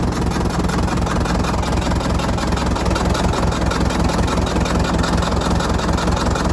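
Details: Fordson Major diesel tractor, sat untouched over 20 years, restarted with water newly in the radiator: low diesel chug at about 158 beats a minute with an uneven, lumpy beat; idling rough.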